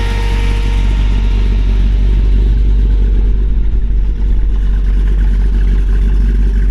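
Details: 1928 Dodge Brothers 3W coupe with Mopar V8, short-tube headers, new fuel pump, overhauled carburetor and fresh fuel: deep steady V8 rumble with even lopey idle, no knocks or misses; normal idle.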